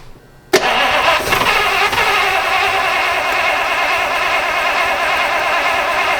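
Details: 1953 Oldsmobile being tried on its own fuel supply: the starter spins the engine steadily for several seconds with no firing, a crank with no start. Fuel starvation is suspected but not confirmed.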